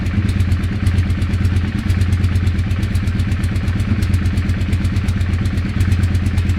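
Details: Weird engine sound: a lumpy idle with an uneven, clattery beat about three per second over a deep low drone; abnormal engine noise, cause unclear.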